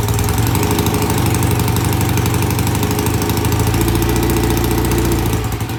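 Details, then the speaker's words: BSA A65 twin motorcycle, cold start after cleaning the pilot jets in new Premier carburetors, carbs tickled: fires and settles into a lumpy but steady twin idle with both cylinders pulling; good idle and easy start. "I think that sounds great got a good idle both sides sounds good easy start"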